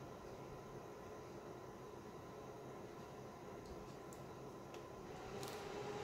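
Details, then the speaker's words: AC Infinity AIRCOM S10 cooling unit fan at its maximum "very high" setting (of low, medium, high and very high), with the receiver off: a soft, even, airy rush holding steady with no ticking, rubbing or wobble; a normal fan on high. "That's very high. That's max. I don't know if you guys can hear that."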